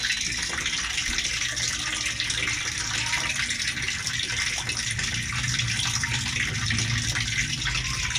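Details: LG automatic washer after a repair, where water had kept filling and draining out, set to a very low level: strong steady gush of water without gurgling or strain. A normal fill that now holds water.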